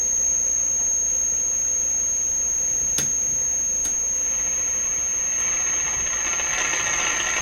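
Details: DeForest 10DA517 AM tube radio on under 100 V supply: piercing, steady high-pitched howl over faint hiss; oscillation cause not yet found.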